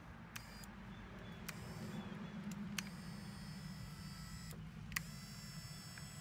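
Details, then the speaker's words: 1983 Porsche 944 driver's-side power window after replacing the regulator with one from a parts car: a slow, steady motor hum with a few clicks as the window drives smoothly. It is slow because the battery is almost drained. "all right we got one that works all right we got the window working again right so it's a little slow since the battery's almost drained"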